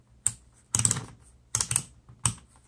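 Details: New 12V DC four-post solenoid energized with a power probe: four crisp clicks about every half second in a quiet room; it engages reliably and is healthy.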